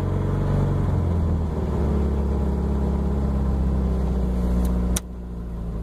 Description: Subaru has an exhaust leak and runs rough on cold starts